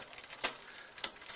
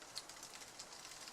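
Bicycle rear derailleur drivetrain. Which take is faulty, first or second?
first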